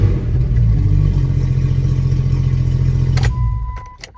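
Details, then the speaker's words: 1996 Jeep Grand Cherokee ZJ six-cylinder after new plugs, wires, injectors and cleaning rust off distributor cap contacts: uneven stumbling idle about three seconds; somewhat better but still misfiring, owner suspects worn distributor rotor. "Well, it definitely seems better. It's not fixed by any means, but the more material I take off that rotary button, the less it's going to be able to contact with those actual contacts."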